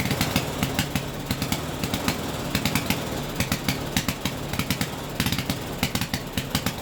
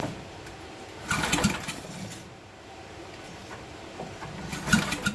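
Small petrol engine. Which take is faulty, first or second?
second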